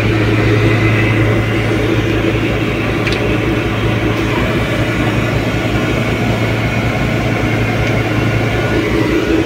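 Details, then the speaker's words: 1989 Ford Pampa CHT cold on choke after carburetor kit replacement, started without priming gasoline: steady, even idle with regular low thump, no stumbling or dying; holding idle properly. "já fiquei feliz que pegou sem precisar de injetar a gasolina tá só puxando o afogador"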